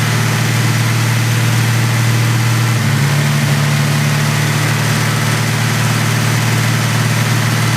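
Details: Ford Mustang petrol engine idling with a low, uneven pulse and slight pitch rise partway through; misfire whose cause owner cannot find.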